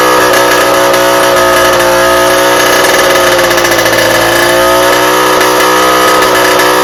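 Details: Rebuilt two-stroke cyclo (moped) engine held at full throttle after bench break-in: flat, strained buzz never climbs in pitch; exhaust choked, a replacement exhaust was the only change that let it rev.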